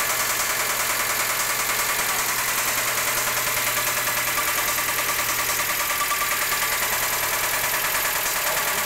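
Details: 1992 Mazda Miata, noise started abruptly, no power loss: quick regular ticking about three per second over steady idle; lifters suspected, but a rebuilt head with new lifters and cams didn't change it, cause unknown.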